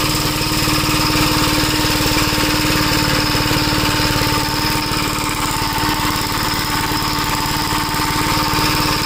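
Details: 1961 Gravely Model L tractor on a test drive after carburetor repair and richening: small single-cylinder engine holds an even beat near four per second with no surging or hunting, and the governor linkage is working.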